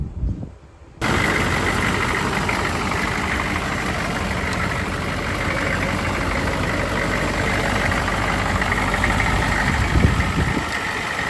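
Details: 1993 GMC C2500 6.5 turbo diesel, after a no-start fixed by jumping the oil pressure sender to run the lift pump and fitting larger 78-series batteries: catches after a short pause, settles into steady even idle clatter, no misses or knocks.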